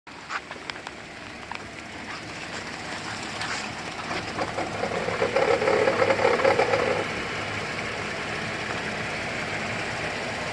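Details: 2008 GMC Acadia SLT restarted with key after auto start squealed and shut off violently: light regular rattle about four per second at idle, sounds like a failing pulley bearing, source unconfirmed.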